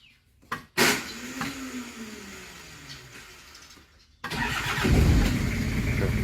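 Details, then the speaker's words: Toyota Mighty-X that stalled while running: after cut wiring was rerouted and reconnected so dash lights and fuel pump work, few clicks and pump hum, then engine starts quickly and idles steady and even. "ถ้าโชว์แบบนี้ปั๊มก็จะทำงานแล้วก็สตาร์ทติดปกติครับ"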